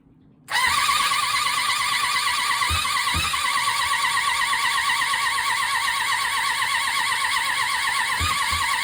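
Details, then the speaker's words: 1993 Suzuki GSX600F after its carburetor problem was addressed, carbs refitted with no air filter, jump starter attached (battery problem suspected): the starter whirs evenly for about eight seconds without firing. Cranks but does not start. "So try again. She does not really want to cooperate."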